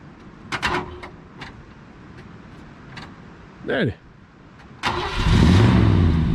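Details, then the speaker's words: 1965 Ford Galaxie 500 revived after carburetor rebuild, long-sitting, cold Georgia day: brief starter whirr, then the engine catches cleanly and runs steadily without misses; runs good, though rear brakes later found locked. "that car runs good good lord"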